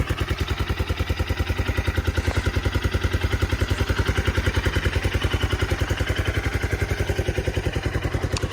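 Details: 1997 Suzuki 650 single with 2,000 miles, sat since 2001 and revived with a cleaned carburetor and a new battery: a steady, even thump at about 3.5 beats per second with no misses or knocks, a healthy smooth idle.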